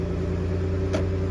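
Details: Toyota Alphard that would not start (suspected blown fuses), started by touching key chip to button: steady low hum with an even unchanging beat and one brief click; engine idles smoothly.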